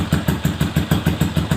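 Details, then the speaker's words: Bored-up Yamaha Jupiter Z 125 after light tune-up, previously vibrating and losing power at high revs: even low idle thumps six or seven a second, no clatter; front engine smooth, worn automatic clutch bell gear still to be replaced for quieter sound; normal idle. "mesin depan suaranya Udah adem halus ya tinggal diganti aja kalau pengen lebih bersih suaranya ya gigi lonceng otomatisnya diganti"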